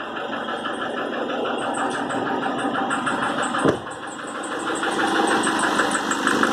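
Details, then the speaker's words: Nissan Frontier 2.5 diesel: constant rhythmic knocking, about three per second, over the diesel clatter, very strong when accelerating and releasing and unchanged after revving; persistent engine knock, cause not confirmed. "acelera e solta ela bate muito forte ele fica mesmo barulho"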